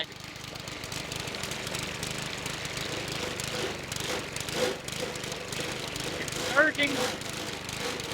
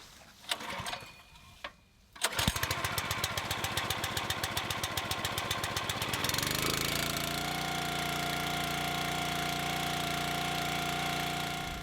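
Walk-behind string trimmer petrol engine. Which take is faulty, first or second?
first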